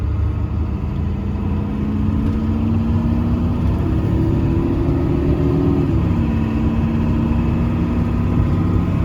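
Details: 1995 Ford 7.3 Powerstroke diesel truck, roadworthy again after 10 years sitting: steady even diesel drone, pitch rising and falling smoothly with load, no knocks or misses; healthy.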